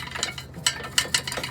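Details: Car started, exhaust collar bolt stripped and not tight: sharp, irregular metallic clacks over a faint idle; exhaust rattle from loose collar clamp, previously zip-tied, bolt to be replaced.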